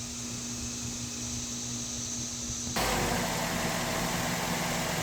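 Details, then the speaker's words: 2012 Mazda 3 s, 2.5 L engine, with a coolant leak and reported stalling, just started and not yet at temperature: steady, even idle with a smooth low hum and no knocks, a burst of fan or air noise partway; sounds healthy. "so it is running it doesn't sound bad but we may need to get it up to temperature"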